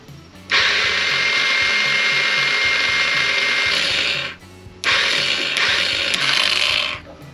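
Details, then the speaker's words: Old scooter, retried on fresh battery: two long high-pitched whirring bursts, no firing; starter spins without turning the engine, declared cooked, to be replaced with spare starter. Failed starter motor. "The starter's cooked. Well, luckily the bike came with another one."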